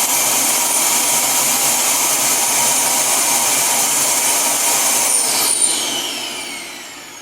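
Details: Dyson DC07 Origin vacuum reported to overheat and die after about 10 minutes, no post-motor filter fitted: steady high-pitched motor whine with airy rush winding down at the end; exhaust air warm.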